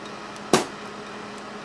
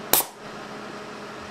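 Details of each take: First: Small 24 VAC solenoid valve with 1/4" NPT connections on a bare-bones test air cannon at about 250 psi. The coil buzzes and hums, very reluctant to open, then snaps open with sharp clacks. Not reliable firing above about 200 psi on 24 VAC. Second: Small air cannon with a 24 VAC 1/4" NPT solenoid valve fired at 100 psi: one sharp crack of released air, then quiet; the valve opens cleanly and works reliably at this pressure.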